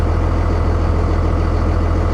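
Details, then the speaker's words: 57,000-original-mile Dodge Ram 3500 diesel pickup at a salvage auction yard, tagged non-runner yet running: a deep, steady, even diesel idle with no knocks or misses; the engine runs cleanly, normal idle. "Boys, this is not a non-runner. She runs 57,000 miles and it runs."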